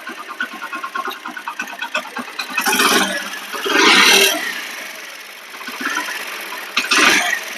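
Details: Hero Splendor Plus single at idle after the faulty valve tappet adjustment screw and nut was fixed. A quick, even patter with no top-end tapping under a few gusts of noise; the clearance noise is resolved.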